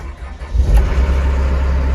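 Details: Brand-new John Deere 60P excavator diesel with 4.5 hours on it: a brief crank, then it catches cleanly and settles into a steady, even low rumble; a healthy start.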